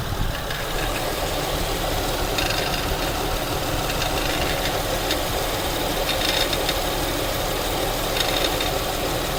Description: My 2008 Acura TL 3.2L is at around 105k and this noise started appearing whenever I'd start the car, it's coming from the passenger side near the serpentine belt and kicks in whenever the AC fan kicks on.